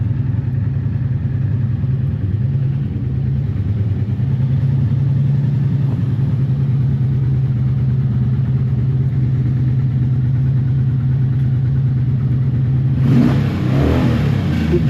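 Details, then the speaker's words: 1984 Honda V65 Magna VF1100C barn find, after a good 10-mile ride and refuel, now seemingly on one or two cylinders: low uneven drone that stumbles when revved; owner suspects fuel starvation to float bowls, or pickups or CDI, unconfirmed. "it's I wonder if there's fuel getting to those float bowls so that's disappointing and I'm not really sure what it is"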